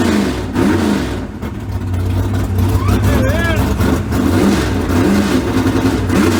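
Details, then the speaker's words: 355 small-block V8 swapped into the '57, after setting about 8–10 degrees of timing without a light and tweaking the carburetors: an even idle burble that picks up cleanly on the blips, no misfire or stumble. Normal idle and revving. "All right, I ain't got my timing light stuff, but I put probably 8 to 10 degrees in it, and it cleared right up. Just the carburetors a little bit, and they sound good now."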